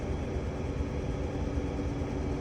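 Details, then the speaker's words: UK Toyota Alphard/Vellfire Japanese import, just started after fuel filter and fuel pump replacement: the engine idles evenly with a faint constant hum underneath, no surging or whine. The old filter was black with debris. Normal fuel pump operation. "You hear the pump working as Christoff said there."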